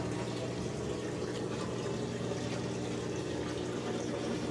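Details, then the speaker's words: House plumbing with a sewer problem: a steady low hum with water gurgling and filling as wastewater backs up into the bathroom sink instead of the bathtub. Drain backup; a sewer repair is needed. "it doesn't come out of the bathtub anymore but now it's trying to come up through the sink which is bizarre because it's so much higher yeah than the bathtub"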